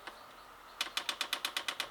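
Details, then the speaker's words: Chinese HCalorie diesel heater on a first test with a homemade controller, priming the pump at 11.2 degrees. Sharp, even ticks with gaps between them, slower than expected. Slow dosing pump ticking; the cause is unknown. "hmm there's a first problem I don't know if you heard that but I was particularly slow but it doesn't matter I can come back to that"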